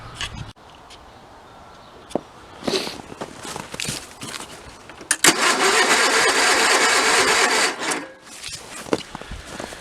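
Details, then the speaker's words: 1985 Case Ingersoll 448 hydrive garden tractor, Onan twin-cylinder engine, after fuel line, carburetor and fuel pump work and a blown 15 A fuse: starter spins at a steady churning rhythm for a few seconds but never fires; cranks, no start. "Put a new fuse in it, started right back up, drove it where it sits, and now it won't restart. It will crank but no start."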